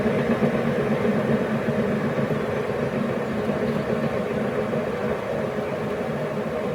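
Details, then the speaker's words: YardMax YW7565 chipper, under 4 hours use, greased and oiled, cutting wheel coasting to stop and hand-spun with plug disconnected: dull rumbling clatter with a clunk once per revolution; owner suspects warped wheel or bearing problem. "you can hear the same sound clunk so it's every sort of one full revolution it makes clunk"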